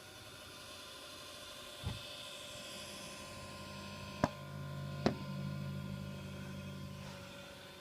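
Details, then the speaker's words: Desktop PC bought around August: steady whirring hum with low drone and a few sharp clicks, seemingly from the front, only while Windows loads, then stops; cause unknown. Unidentified whirring noise. "it only does it while Windows is loading it just got done with the windows thingy now it's stopped"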